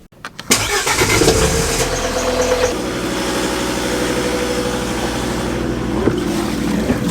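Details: Volvo Penta D3 five-cylinder marine inboard diesel, brought in for overheating with the impeller suspected: quick crank, clean catch, then a steady, even diesel idle with no knocks or misses and water now flowing; normal start and idle.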